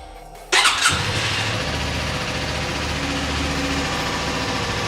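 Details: Suzuki V-Strom 250 motorcycle with 136 miles starts within half a second and settles into a smooth, even idle, with music behind; healthy start and idle.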